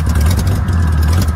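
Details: VW notchback air-cooled engine with rebuilt 32 PHN carburetor, idle deliberately set high: low steady rumble held at a fast idle well above normal.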